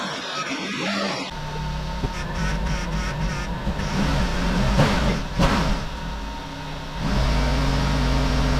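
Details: Flood-damaged Jaguar XK V8 after rebuild, fluids, radiators, power steering and aircon refitted: engine catches after a quiet moment, settles to an even idle and takes clean blips; sounds healthy.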